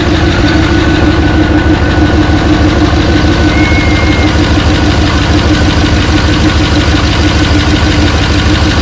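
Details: 1986 Chevrolet Suburban C20 with a rebuilt 6.0 LS LQ4 and stage 1 truck cam at first fire-up, not yet warm: steady V8 idle with a faint, even puffing tick; exhaust leak, muffler blamed.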